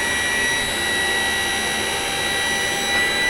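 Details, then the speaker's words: Type 69 tank turret power traverse running off the generator after the electrics are switched on: smooth, constant high whine with no grinding or catching; traverse runs nice and smooth. "And now we can use the power traverse. There we go. You see? Nice and smooth."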